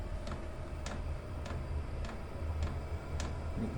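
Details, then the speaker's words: Chinese diesel air heater starting up, exhaust routed through a water-bucket pipe: sharp, even ticks about every 0.6 s over a low hum, the dosing pump pulsing diesel onto the glow plug, speeding up as it heats; normal. "A little bit annoying, the pulsing that comes off the pump."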